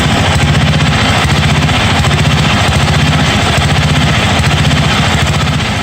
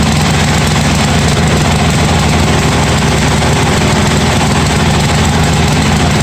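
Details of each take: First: 1982 John Deere 108 mower, first start: lumpy, uneven single-cylinder beat that hunts and stumbles. Jet adjustments did not help; owner says the carburetor is faulty and needs replacing. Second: 1982 John Deere 108 lawn mower being built into a mud mower, first start after fitting a different carburetor: steady, low single-cylinder thump at an even pace with no hunting or misses, running smoothly.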